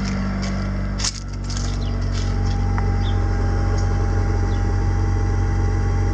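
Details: Mitsubishi Galant VR4 turbo after installing an upgraded in-tank fuel pump, first start: steady even low rumble, firm unchanging beat, no misses or ticking; idling cleanly.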